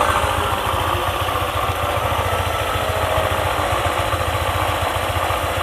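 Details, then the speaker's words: Honda ADV 150 scooter, CVT area, idling with a bolt refitted: rough, uneven low rumble with a groaning, rubbing sound that changes when the bolt is loosened; worn CVT bearing confirmed. "Ya, sudah pasti bantalan (bearing) itulah yang aus. Oh, tempat ini sangat sulit. Seperti suara rintihan dan gesekan ."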